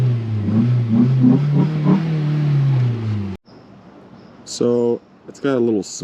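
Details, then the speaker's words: Flood-damaged 2012 Ford Focus from Hurricane Helene, first start after water came out the exhaust: revs rise and sag, won't hold idle, then cuts out; throttle pedal position sensor codes stored, owner suspects throttle body. "yeah so it doesn't want to stay idling but it's the engine sounds pretty healthy um I'm wondering if maybe the throttle body is bad"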